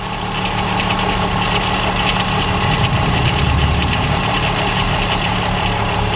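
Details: VW Golf 4 2.8 VR6 idling: fast, loose metallic rattle over the engine hum from a worn timing chain; it gets worse as the engine warms and is becoming clearer. Chain to be replaced in the car.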